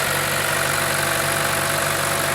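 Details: 2012 Chevrolet Cruze 1.4L Ecotec turbo after replacing the camshaft cover (failed PCV orifice diaphragm causing history code P0171), sealant set 30 minutes: smooth, steady idle with an even low hum, no hiss or whistle; normal idle.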